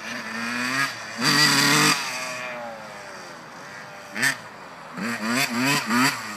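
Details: 1991 RM80 two-stroke dirt bike with new carburetor and cleaned airbox: short throttle blips stumble and fall off instead of revving cleanly, with a thin, uneven exhaust note; horrible bogging under throttle, cause unknown.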